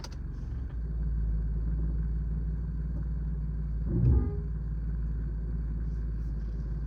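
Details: Engine at idle: low steady rumble with faint buzzy rattle and brief bump, rattle present only at low to idle speeds; owner suspects a loose wastegate flap but unsure; engine rattle at idle.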